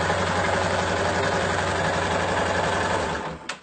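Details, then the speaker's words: Yamaha Fazer 250 after an engine rebuild fixing a loose cylinder liner, knocking and oil burning, and a worn timing chain: quick, even pulsing beat at steady revs, no knock; normal quiet running. "tatá silencioso motor cassinense onde está bacana agora"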